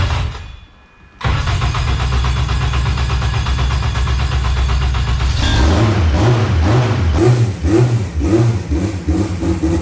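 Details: 1000 hp K-series jet boat that wouldn't restart, after ECU grounds were run directly to the battery and settings reverted. After a quiet pause it catches at once into a steady low rumble and revs up and down cleanly. Normal start and run.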